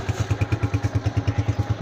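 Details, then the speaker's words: Honda CG125 2025, 5,483 km, after replacing the faulty cam gear that caused a crying noise: even, steady thumping about nine beats a second with no tapping or clatter, also with throttle; normal idle. "मैं accelerator देके आपको दिखाता हूं। बिल्कुल सुन हो गई अल्हम्दुलिल्लाह।"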